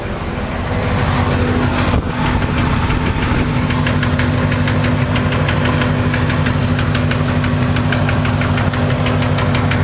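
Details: 1991 Corvette L98 V8 at idle: a regular dull knock around three per second from low in the engine; owner suspects rod knock, unconfirmed.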